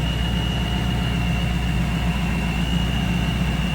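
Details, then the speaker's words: 1994 Pontiac Firebird Trans Am 25th Anniversary, 17,604 actual miles, Vortech V1 supercharged V8, dyno claimed 450 hp: smooth, steady low idle with even pulse and faint constant supercharger whine; healthy running engine. "Good looking engine bay. Sounds good, too."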